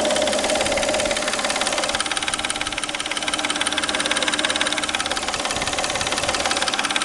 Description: Стук в двигателе Peugeot 607 3.0 V6 в районе грм.